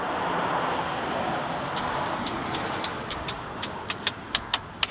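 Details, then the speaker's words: Boat bought from salvage auction, hotwired: sharp single starter clicks about two a second, speeding up, no cranking; engine seized, later replaced with remanufactured engine. "so I think we have bad engine can't win them all I guess"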